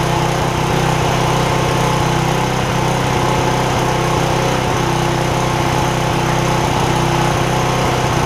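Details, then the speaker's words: 10 hp Briggs OHV single on a Porter Cable generator, after replacing a bent pushrod: steady chug about 150 beats a minute, slightly uneven, dipping now and then; mild surging, owner suspects damage from an earlier over-rev. "sinking here it's got a little bit of a uh to it I don't know how well it goes up on camera I think that may be a result of when the when it over revved and the push rod came off"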